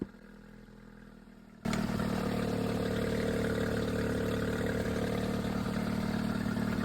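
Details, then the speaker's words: Suzuki outboard on an O'Day sailboat, test run through a new Dometic remote control box: quiet at first, then catches and settles into a steady, even run with no knocks or misses; throttle works, healthy. "So, throttle works. That's good."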